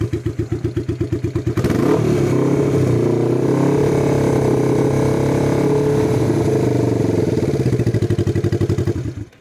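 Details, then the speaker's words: Early-1980s Yamaha XS400 cafe racer project: starter turns slowly and unevenly, about three labored beats a second, before catching; starts harder the more it's ridden, suspected starter issue, possibly a corroded starter connection. "it definitely sounded like it was laboring to start there when you came back but why would it do that do we have a starter issue"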